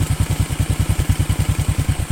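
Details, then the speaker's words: Honda Karisma motorcycle after engine overhaul, already started that morning and ridden: steady, even low thump about eight beats per second, no ticking or clatter. Normal, smooth idle. "untuk mesinnya ya halus tadi pagi sudah saya Nyalakan dan ini sudah saya bawa"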